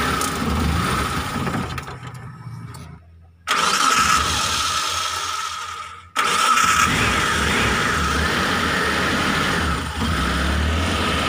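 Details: Mitsubishi T120SS fuel-injected: starter cranks, engine catches on the second try and settles into an uneven, stumbling idle; rough misfiring idle, with hard starting and high fuel use.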